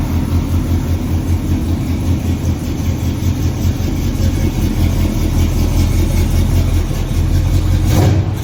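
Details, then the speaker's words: Chevrolet squarebody pickup with a fuel-injected big block, a strong cam and a dump turn-down exhaust: a deep, lumpy but even idle with a steady throaty cam lope and no knocks or misses; it sounds healthy. "She sounds good, she runs good. Fire it up here real quick so you guys can at least hear it sounding off."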